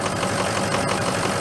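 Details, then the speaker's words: Diesel engine at about 50°F soon after cold start, before oil change and additive: idling clatter with light, fairly even knock, milder than on colder mornings; knock source not pinned down. "It's not as bad this morning. It's pretty warm out. You hear it knocking a little bit now."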